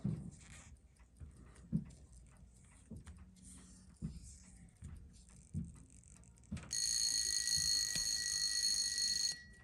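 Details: Seiko 4006 27-jewel JDM Bell-matic after restoration, bridge replaced, alarm set for midnight: faint handling clicks, then a steady high buzzing ring holding evenly about three seconds; alarm working properly.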